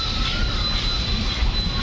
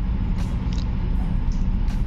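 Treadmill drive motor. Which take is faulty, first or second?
second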